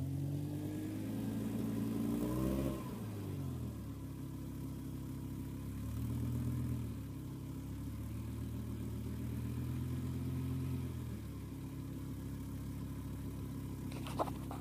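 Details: 2007 BMW M6 with S85 engine: steady humming whine over idle rising and falling with a throttle blip, then settling; owner says it is not the normal VANOS rattle; cause not identified.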